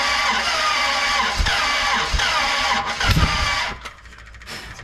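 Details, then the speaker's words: 1967 Dodge Coronet 500 with a new Mopar big-block V8: steady starter cranking with irregular loud backfires out the carb, never catching. Compression on only one cylinder; valves suspected held open by wrong-length pushrods. "coughing out the carb that whole time Jesus that's cool that was a bad one"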